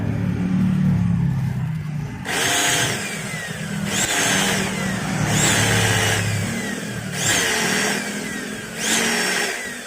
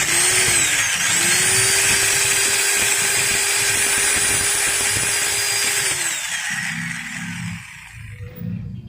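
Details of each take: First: Maktec MT90 angle grinder tested in short bursts with the worn upper pinion gear removed: harsh, scratchy whine like rubbing between armature and stator with changed vibration, from a badly worn armature bearing. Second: Maktec MT90 angle grinder after replacing the pinion gears; steady high whine at full speed with faint rough crackle from fresh gears that should smooth out with use, then a clean spin-down; gearbox healthy.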